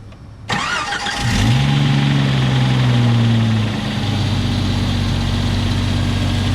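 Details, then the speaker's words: 1995 Jeep Cherokee XJ, first start in 6 months after storage and a new starter: brief crank, catches at once, flares to fast idle then settles steady and even; normal start and idle. "First start up in 6 months, cranked over right away. Couldn't be happier with that."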